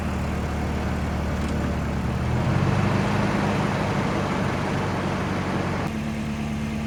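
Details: 1989 Volvo 740 GL saloon, parked in a field at least three years, run briefly with no coolant: steady, even idle with a brief rev lift that settles back cleanly, no misses or knocks; healthy normal idle.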